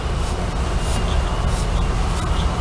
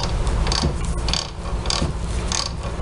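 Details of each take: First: Whirlpool washer spinning after transmission teardown and replacement of the worn plastic cam parts that caused the spin noise: a steady low rumble with no knocking or grinding. The crown can't be stopped by hand, so the drive is engaging properly. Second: Whirlpool washer transmission during spin: rhythmic scraping rub about once a second; worn plastic cams fail to lift the pinion, which rubs the lower shaft splines; holding the agitator still stops the noise.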